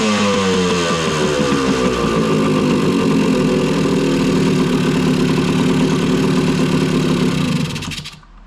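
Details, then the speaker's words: 1980 Kawasaki KE100 two-stroke, sitting 10+ years, after ultrasonic carburetor cleaning; choke deliberately left on to add fuel and wash out oil; fast, uneven, popping rich running that slowly smooths as the oil clears before cutting out. "So, when I first started it, I had the choke on and I did that and I left it on purposely so that it would get extra fuel in there to help wash out some of that oil."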